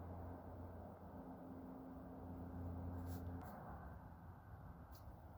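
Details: Celestron C11 Edge HD telescope while focusing: a low steady hum with a few sharp, irregular clicks as the focuser turns. This is an intermittent clicking whose cause is not identified.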